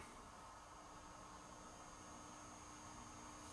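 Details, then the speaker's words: Peavey Classic 30 tube combo amp after replacing leaky filter capacitors, powered up on its original speaker and old tubes: faint steady white-noise hiss with no mains hum, a healthy idle. "can hear a little bit of white noise through the speaker. That's a good sign, but guess what? There's no hum."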